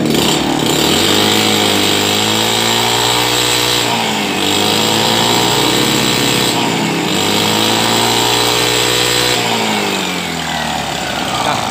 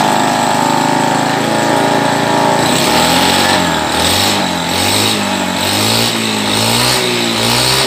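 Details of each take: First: Honda Beat carbureted scooter that holds back on throttle, carburetor suspected (dirt, torn or folded vacuum diaphragm, or sticking slide): blips rise only about halfway then flatten and fall; revs limited, bogging on throttle. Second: Carburetted Honda Beat scooter that had badly cut out ("ngepos"), idling after reassembly while the carburettor air screw is adjusted. Speed drifts gently up and down but it runs steadily without misses.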